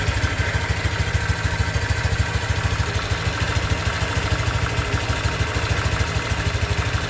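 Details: New 2023 Honda Vario 125 scooter at just over 1,000 km: a steady, even idle with a light regular pulse around three a second and no knocks; a healthy engine.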